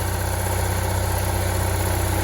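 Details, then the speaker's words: Onan generator in a Barth motor home balanced at 120 V after carburetor adjustments, both ACs full blast and the inverter on. A loud, even drone with a steady pulse and no hunting or surging: normal, smooth running under full load. "i've got both ac's running full blast the power inverter is on the front ac is on let's just turn like a kitten it's really smooth now"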